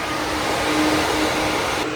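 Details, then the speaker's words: BMW E39 530i, clutch fan replaced by a 16-inch electric fan, just wired with a relay, power on: steady even airy whoosh with a low constant hum, no rubbing or ticking. Electric fan running normally. "I don't know if you can hear it. See the power's connected. Lights on the dash are on and the fans working."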